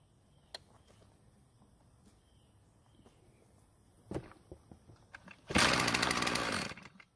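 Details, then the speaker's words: Poulan Pro 33 cc two-stroke trimmer, previously failed repair, started with fuel poured in carburetor throat: brief buzzing run about a second then dies. "well I didn't really like the way the engine ran the first time so let's try that again I expect it to run at least a whole second if not more"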